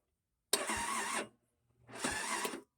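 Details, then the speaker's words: Brand-new 50cc scooter with 13 miles, battery deeply drained and on charger (13 V resting, 12.6 V key on): two thin starter whirs fade without catching; weak battery fails impromptu load test. "about 3 volts i'd say batteries tests that's a little impromptu load test there fully charged it should shouldn't really go under 10 volts"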